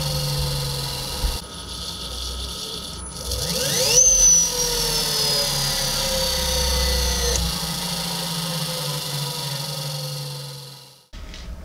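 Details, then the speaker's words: Electric motor on the Lark Streamliner bike spinning freely on high voltage after pre-charge, throttle potentiometer barely turned; smooth high whine that climbs and settles with speed, no rattles or grinding, running normally after wiring harness crimp fixes. "now that we got the bike on you can hear the motor humming when you take the potentiometer we're just gonna turn the tiniest bit there we go spinning"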